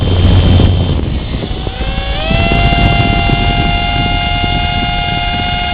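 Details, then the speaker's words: Litehawk Pro helicopter: sudden high whine rising then holding from the top A-rotor motor, which lacks power so the craft spins clockwise instead of lifting. "so what happens is that that motor there controlling the top rotor is making the high pitched wine"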